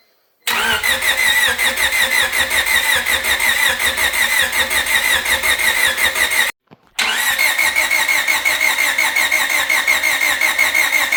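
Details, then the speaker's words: Honda EK with replacement engine, first start attempt after reassembly, airbox not yet connected: even, quick cranking that pauses and repeats but never fires; crank no start, no spark, cause unknown (loose connector suspected). "No, that did not fix our problem. All right, so as you guys saw in the last clip, we've got no spark."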